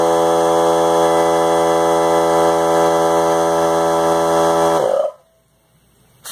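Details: Harbor Freight Central Pneumatic 95275 3-gallon oilless compressor (100 psi max), bought non-working and repaired, after on/off switch rewiring: steady motor drone with even pump beat near 200 a minute, then clean stop at the switch; normal running.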